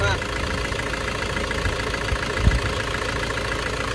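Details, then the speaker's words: Isuzu Panther Euro 2 diesel after an engine overhaul that cured heavy smoking, warmed to ideal temperature: even, smooth idle with a steady beat and no knock or misfire; healthy idle. "kalau mesinnya suanya sudah halus banget nah ini suara mesinnya seperti ini halus y"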